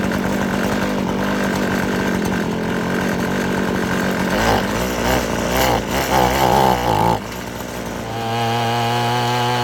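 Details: Abandoned weed eater after crimping the wrong-side fuel line so it draws only from the correct side: high two-stroke buzz revs up and settles back to steady idle without bogging; running as it should.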